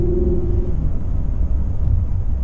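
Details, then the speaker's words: After installing a K&N 63 Series AirCharger intake on a 2017 Nissan Titan Pro-4X 5.6L gas V8, test drive with window open, engine warming up: deep steady rumble, strong even intake note, much more aggressive sound; normal. "much more aggressive sound [Music] the temperature needle just started to go up Wow much more aggressive sound and I can feel it too"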